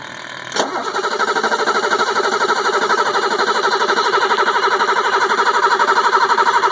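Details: 1985 BMW 735i that suddenly stopped starting: the starter cranks steadily at about four beats a second, but the engine never fires; cranks, won't start. Owner finds no spark at the spark plugs; cause unconfirmed.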